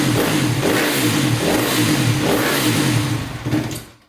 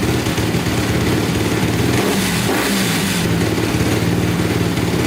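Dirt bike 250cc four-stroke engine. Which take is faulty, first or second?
first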